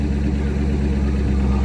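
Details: Corvette C5 coupe V8, a former non-runner, after repair once the initial start-up misfire had smoothed out: deep, steady burble at idle with no misses or knocks; a smooth, healthy idle.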